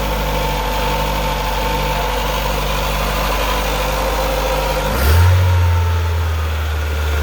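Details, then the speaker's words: 2008 Chevy Aveo5 after a welded repair of a severe exhaust leak: steady deep idle, then a brief rev rising cleanly and settling with no puffing or ticking; normal, tight exhaust note. "yeah sounds like it's coming we're supposed to much better that'll do donkey success the car is right back to sounding like it should"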